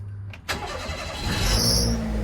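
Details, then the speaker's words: Turbo Daihatsu Mira at start-up: right after the engine catches, a sharp high-pitched squeal rises for about half a second then fades; it squeals on every start and the cause is unknown. "Also kind of want to know why it does that squeak when I first start the car. Like for me, I don't know, my standards are really high. I paid $12,000. I don't want it to squeal every time I start the car."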